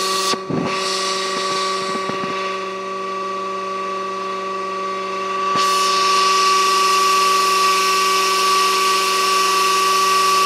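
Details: Pool pump motor running: loud, steady, high-pitched drill-like screech over the motor hum, unchanging; worn motor bearing whine.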